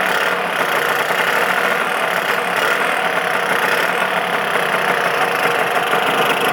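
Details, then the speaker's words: Lambretta LI150 with RT 198 kit, 38 pilot and 105 main jet before rejetting to 41 and 110: steady two-stroke idle buzz, no misses but thin; owner thinks weak at top end, mid-range okay. "i think it's running a little bit weak up the top end mid-range is okay"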